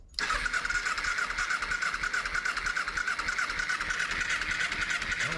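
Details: 2007 Kawasaki Ninja EX250 after sitting 5 years, on a temporary fuel cell: starter spins the engine at a steady whirring rhythm but it never catches; fuel not getting through clogged carburetor jets.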